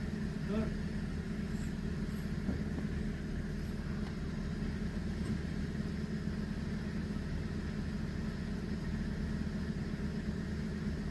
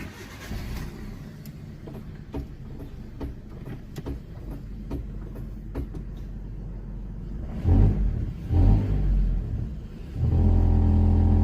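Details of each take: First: Car idling after refitting the original engine mount in place of a suspected aftermarket part that caused a vibration noise when pulling away: steady, even low hum with the rattle gone. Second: Evet arkadaşlar şimdi arabayı kalkarken arabadan bir ses geliyor.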